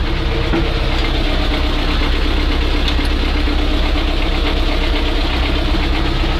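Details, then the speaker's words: Old ZIL crane truck diesel after crane work lifting a truck body, warm with thermostat open holding 80 degrees; loud steady idle with even low throb and ordinary injector clatter, no hunting or misfire: normal warm idle. "Термостат открылся. Отлично. Ну, держит температуру 80."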